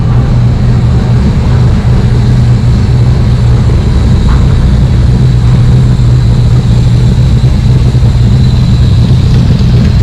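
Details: Cobra V8 with Holley Sniper, Isky cams, ARF cylinder heads and a fresh tune, just over 100 miles, idling in the driveway: loud, steady, even low burble with no misses, knocks or hunting. Normal idle.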